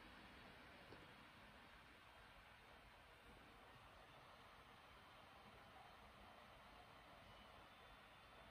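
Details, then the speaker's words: Razer Blade 15 Base 2019 laptop (GTX 1660 Ti, i7-9750H) driving an LG 5K2K monitor over Thunderbolt: after unplugging, fans drop to a soft, even airy hiss with no whine or rattle; normal fan noise at idle. "has now gone to what I would consider to be an acceptable level. No changes in programs running."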